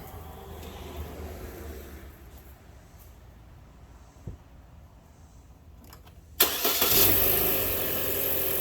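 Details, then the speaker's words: Chevy Cruze just after timing belt replacement: quiet at first, then fires at once near six seconds and settles into a smooth, steady idle with no tapping; sounds good. "All right, sounds good."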